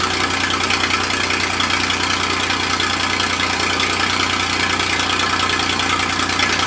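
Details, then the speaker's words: Massey Ferguson 2244 with fresh Perkins three-cylinder diesel, first start in five years, cold at startup, hydraulic clutches failing; steady, even diesel clatter at regular idle beat, no stumbling or extra knocks. Normal diesel idle. "well the old fella still doesn't sound too awful bad like i said the engine is fresh"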